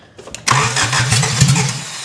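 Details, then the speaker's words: First start attempt: starter turns slowly in labored pulses before barely catching; a weak battery is suspected, and it ran after more power. "Battery sounded weak."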